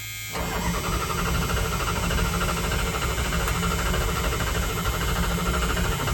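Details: 1978 Dodge Power Wagon 318 V8, automatic, former plow truck unstarted over a decade, battery on jumper clamps, carburetor primed, choke disconnected; steady cranking with no firing.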